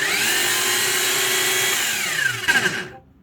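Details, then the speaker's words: New Aldi Ferrex drill press that won't work though plugged in and switched on. High, harsh whirring that winds down with a rattle before stopping: abnormal motor noise, cause unknown. "That really doesn't sound good to me."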